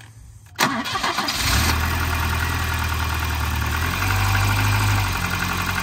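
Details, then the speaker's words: Volvo 940 Turbo bought sight unseen, first start: short crank, catches and settles into a low rumbling idle that hunts and surges slightly; idle isn't set correctly, lots of oil in it, oily smell, oil pressure present; poor idle. "okay so first Lots I think this thing that idle isn't set correctly there you go"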